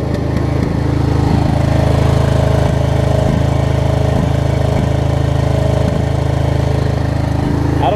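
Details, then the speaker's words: Craftsman DLT riding mower, Briggs & Stratton V-twin, after kill and stator wire repair, running at speed before carburetor bowl cleaning; steady but stumbling with an occasional skipped beat, intermittent misfire. "you'll hear it misfire a little bit here and there"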